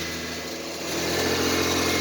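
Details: 2005 Toyota Highlander that cranked but would not start, suspected bad EFI relay; after priming, engine starts and runs with a steady, even note, no misses or knocks, picking up slightly; normal running.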